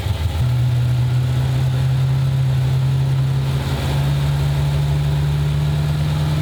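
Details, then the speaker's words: 1995 Ford Mustang GT, 302 V8 with a swapped carburetor, after the gas tank was reinstalled: a rough, low throbbing note that wanders and dips instead of settling. They suspect fuel trouble at the shelf-sitting carb, which may need a rebuild. "I think we need to take this carb apart and rebuild it or at least look look at everything feel like it was sitting on a guy's shelf for a while"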